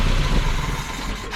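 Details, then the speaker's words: Dodge D50 pickup with G63B engine at first startup, with a vacuum leak and a possible exhaust leak: a lumpy idle sags and dies within a second when the vacuum advance is hooked up. "yeah it dies with the vacuum advance on so we'll have to figure that out what the timing's doing with the vacuum advance hooked up"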